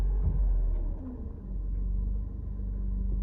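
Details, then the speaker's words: Mercedes W124 220CE coupe with high idle since a replacement throttle body, lumpy idle and poor economy. Deep rumble that sags when put in gear, then settles. The owner suspects the MAF or an air leak. "it drops down so I'm not quite sure what's going on there someone said it could be the math"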